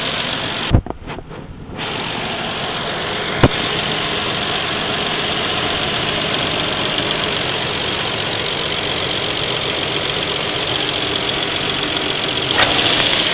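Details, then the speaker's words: 1998 Nissan Skyline R34 2.0 L, owner suspects misfire: uneven lumpy idle with faint irregular knock under hissy background, rocking and dropping low at lights; rough idle, cause unconfirmed. "pretty much it just rocks around I'm not gonna hate every time I'm driving it every time I'm sitting a light it drops below the rev limit drops below about 300 sometimes"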